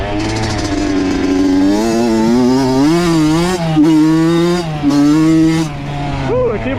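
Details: Honda CR80 two-stroke with Keihin PWK 28 carb, after replacing an oil-fouled spark plug: crisp buzz climbs and drops cleanly through several blips with no bogging or spitting. Clean-running, though possibly lean.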